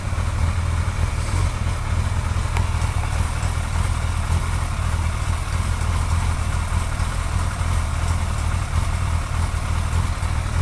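Steady motorcycle idle with a light, quick ticking riding over the low exhaust note; source of the tick unclear from sound alone.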